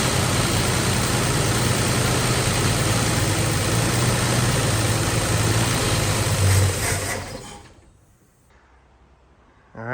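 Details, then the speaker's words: 1961 Valiant six-cylinder, off the road over 30 years, first run after sanding the points: deep, even exhaust rumble through a glass pack at steady idle, no knocks or misses, then a clean shutoff; runs healthy, normal idle. "wow that's running pretty that sounds a lot better yeah"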